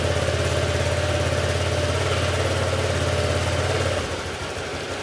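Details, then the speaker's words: Honda Click 125 scooter after bottom-end overhaul with new crankshaft, for knocking caused by neglected oil: smooth quiet idle with soft even beat, no bottom-end knock, settling slightly lower at the end; pulley also noted loose. "Ayan, tahimik na. Ayan, quality yung aking binigay na sigunyal mga sir."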